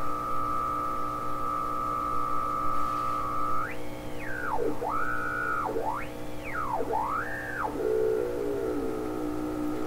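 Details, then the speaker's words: 1928 RCA Victor Model 28V radio under restoration with an alternate 227 tube, signal generator being tuned: clear whistling tone swoops up and down with a steady low hum riding under it, heavily modulating the signal; hum source unconfirmed. "So it sounds like it's heavily modulated by this hum signal that's in here."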